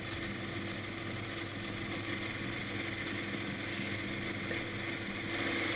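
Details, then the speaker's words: Volkswagen Polo 1.4 TDI with a belt noise when the air conditioning is on: with the A/C switched off the diesel idles steadily and evenly with a fine hiss and no whine; noise traced to a faulty A/C compressor clutch. "il est déconnecté et le bruit disparaît"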